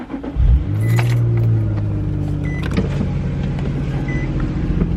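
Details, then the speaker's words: Infiniti G35 started to back it up: keys jingle, a quick crank catches cleanly, then a steady, smooth idle; healthy engine that needs work (owner asks about tailpipe smoke). "let's back this [ __ ] up real quick still got a healthy engine just need some work"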